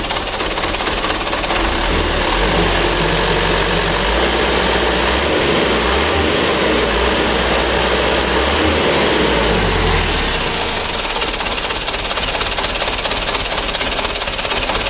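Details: 2008 Mitsubishi Canter 125 diesel at idle, cab raised, before service; low power, long cranking: diesel clatter with a low throb wavering and surging unevenly for about ten seconds, rough shaky idle, though not severe.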